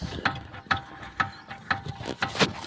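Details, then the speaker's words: 2005 Kia: sharp metal-on-metal knocks at roughly two per second while the steering wheel is turned, quiet between them. The thump is felt at the end of the steering rack, and the noise was found to be inside the rack. "okay now not sure if you can hear that noise so s like a little metalon metal that's what it sound thinking uh sounds like a metalon metal thumping"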